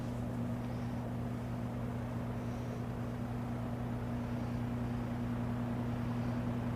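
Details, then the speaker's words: 1963 GE F15W13 three-speed box fan on low, reversed to blow outward, still building RPM; low steady hum with smooth airy whoosh, no knocking or rubbing: normal running at low speed. "It's still building up a little bit of RPM on low. Sounds like it's at its running RPM now."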